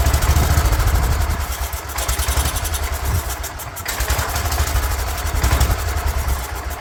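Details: 36-year-old Toro Wheel Horse 416-8 garden tractor, after the coil was corrected: small engine chugs unevenly, surging and sagging instead of holding revs; a leaking fuel line is not pulling fuel through the carburetor, and once fixed it runs.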